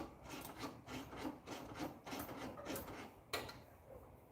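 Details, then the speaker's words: Firebird: rough rasping scrape about twice a second as the parking brake is worked; owner suspects parking brake shoes and cables, with new ones planned. "I still need to figure out what the hell's going on with the uh with the brake shoe situation on this thing. Just sounds awful."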